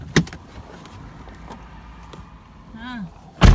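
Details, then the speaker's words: Car door hinge after WD-40 was sprayed on it (grease to follow): the door opens with a soft click and shuts with a solid thud, and the squeak is gone. "oh my gosh it is fantastic okay but i'm still gonna lube it anyway so awesome it doesn't squeak anymore"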